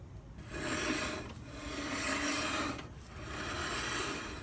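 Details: Customer's car with a grinding, roaring complaint as the wheel turns: a harsh rasping grind rising and fading in slow waves. Cause is worn-out brake pads and chewed-up rotors, both replaced.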